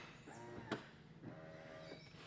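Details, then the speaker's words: Lucid Gravity Dream Edition electric SUV power liftgate closing slowly: two soft motor hums with a sharp knock between them, knocking that sounds less than premium, suggesting play or rattle in the liftgate mechanism. "Have no real issues there. Doesn't sound the most premium, quite a bit of knocking and things going on."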